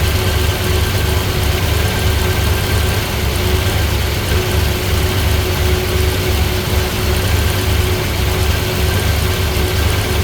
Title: Misfiring